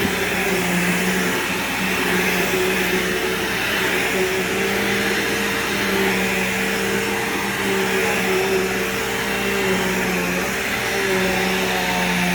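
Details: Upright vacuum running with scent beads: steady, even motor roar with a constant tone and no surging, rattling or scraping. It works perfectly with a good brush roll.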